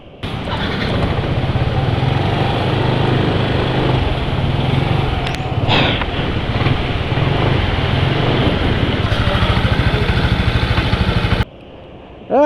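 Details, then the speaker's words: Motorcycle engine after adding Liqui Moly Ceratec oil additive, owner feeling oil not slippery enough: steady fast pulsing idle with coarse gritty edge throughout; still rough running, cause not confirmed. "Iya ternyata suaranya masih kasar kan"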